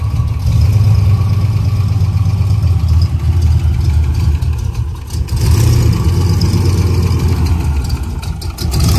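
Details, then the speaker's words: Turbo 331 small-block Ford Foxbody Mustang just after starting: deep, loud V8 idle with a few uneven throttle blips, settling into a steady low rumble; it idled well once started; normal idle. "however very cool it drove pretty good once it started to idle good"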